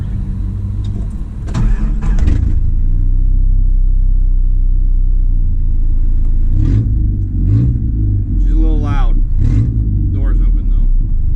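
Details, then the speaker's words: 25-year-old Dodge Dakota project truck, stick shift, first drive in 6 years (off road since 2015): deep loud unmuffled rumble at idle with throttle blips from a rusted-through exhaust. "I'll let you hear how loud this thing is with the door"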